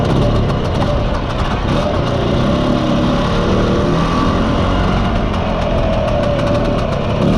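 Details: Mostly original Spanish Lambretta Jet 200 (Serveta) two-stroke on test ride after carb slide cutaway changed from 1.2 to 2.2; steady, even drone, no misfires, stumbles or surging; mid-range spluttering cleared, main jet seems about right pending plug chop.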